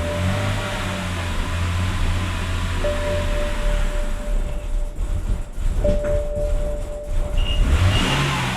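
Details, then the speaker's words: 2006 BMW E90 325i/330i six-cylinder first start after crankcase ventilation hose and intake manifold gasket replacement: smooth, steady idle with even low hum, no misfire or stumble, though smoking from a valve cover gasket leak; normal idle. "So here's what happened, guys. The car is running, and it's running actually pretty good, decently fine,"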